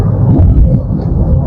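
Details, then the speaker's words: Car driven at about 60-65 km/h after the repair: steady low natural rolling cabin rumble; the customer's humming noise is gone. "Pero es muy notorio, es evidente que el ruido desapareció. No tenemos ese zumbido, tenemos un rodar natural."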